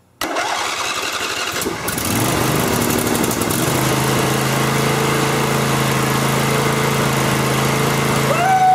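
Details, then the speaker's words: Briggs & Stratton V-twin Intek engine after sump gasket replacement, wiring, fuel line and oil reconnected: choke pulled, it catches and settles to a smooth even idle with steady low hum, no misses or knocks; governor working, normal start. "see Governor everything was hooked up correctly and everything worked no tricks this time we did it for real"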